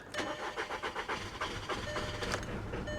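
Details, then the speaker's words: 2013 BMW 328i at salvage auction, listed as start not drive; starter churns steadily, engine nearly fires once but never picks up; cranks but won't start. "nope that didn't sound good either come on old girl come on [Music] no well i'm gonna tell you right now at this rate this doesn't run"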